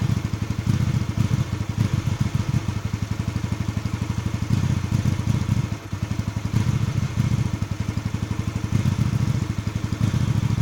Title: GV250 Hyosung Rough Idle Issue